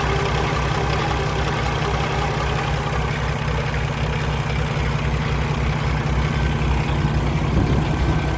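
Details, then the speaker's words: 2016 Peterbilt 579 with Paccar MX13 diesel and Eaton automatic transmission; deep, even idle with steady rhythm, no unusual noises, no smoke, no blow-by from oil filler cap; healthy engine. "It appears to be running excellent. No unusual noises, no smoke out of the tailpipe, no blow by coming out of the oil filler cap. Everything appears to be good."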